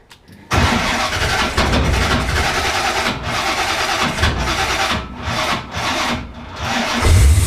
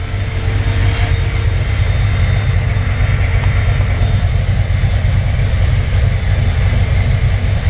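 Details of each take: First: 1968 Corvette 383 V8 with XL DFI distributor, older battery: starter turns over sluggishly for a few seconds before the engine catches and settles; slow cranking, owner recommends a bigger battery. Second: 1968 Corvette with XL DFI distributor and crossover: steady low rumble with a fairly lopey cam rhythm and constant electric cooling fan whoosh; normal idle with fan running.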